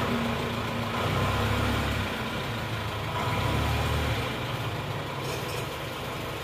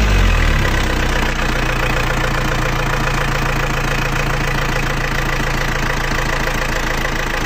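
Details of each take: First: Diesel engine of a Panther (AE 1558 vehicle), after an engine rebuild with new timing gears and a slight retard of the injection pump timing: steady, even clatter swelling smoothly when revved, no knocks or roughness; running smooth again. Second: Panther AE 1558 diesel after engine rebuild, new piston rings and new timing gears replacing worn ones, idling: hard rapid clatter about four knocks a second; injection pump timing suspected too far advanced after earlier compensation for worn gears.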